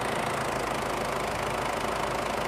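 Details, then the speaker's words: 2007 Ford Everest turbo diesel: steady even idle with no knocks, misses or rattles over the low drone; engine sounds smooth and healthy. "Máy nổ khá là êm chưa? Đó là trải nghiệm phần máy của em nè."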